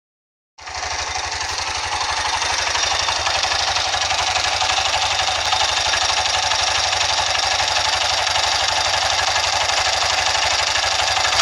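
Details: CBX motorcycle at idle: a rapid, fairly even ticking knock of about four per second over a buzzy single-cylinder idle, suggesting a top-end knock; cause not yet clear.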